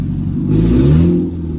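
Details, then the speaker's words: Minivan work truck with catalytic converters stolen, started in the morning; engine swells louder and raspier under throttle with harsh popping open exhaust tone, louder than owner's car; exhaust leak from missing converter, heading to muffler shop for repair. "listen bro this popping more than my car bro what's going on bro"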